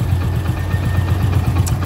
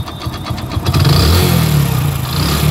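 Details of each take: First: Hero HF Deluxe motorcycle, about 80,000 km, after complete engine rebuild, at idle; steady low thumping with even firing pulses, no extra knocks or rattles, sounds like a new bike: normal idle. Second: Hero HF Deluxe motorcycle, odometer 43,000 km but about 80,000 km actually run, before engine rebuild, heard close up at idle; light rapid knock about four a second under the rumble: worn crank bearing knock.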